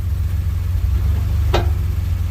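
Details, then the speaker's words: 2016 Ford Expedition shifting between drive and reverse: over a low idle, one sharp metallic pop as it drops into gear. Suspected worn bushing or bolt in the rear arm at the cross support pressed into the frame. "popping sound and drive and reverse coming from rear of these expeditions with this cross support"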